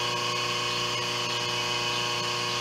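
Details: 5 HP inverter-rated three-phase idler motor on a 5 HP rotary phase converter control box, running at 60 Hz on the bench during voltage tests: smooth constant hum with steady electrical buzz, not labouring, running normally.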